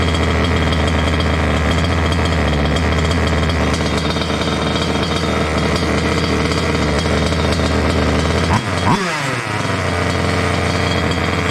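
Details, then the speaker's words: Water-cooled two-stroke Goped scooter with a new electric water pump: high, steady lean idle that dips sharply and recovers. The pulse line to the other pump was left unplugged, causing an air leak; plugging it let the idle fall as it richened. "this is the pulse that goes to the other pump and i told myself i was going to plug that before i ran it and that's why it started up and ran so lean i got an air leak right here"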